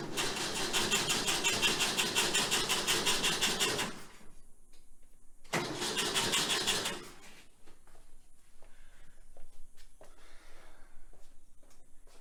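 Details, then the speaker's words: 1966 VW Type 3 Fastback with a new starter on a not fully charged battery: two harsh cranking bursts with fast, uneven grinding chatter and no start. Rough cranking; owner suspects a chewed-up flywheel. "Well, that doesn't sound awesome. The starter, the new starter, still sounds kind of crazy, so I'm guessing maybe the flywheel has gotten chewed up a little bit more in more spots, and that's why it's sounding a little rough."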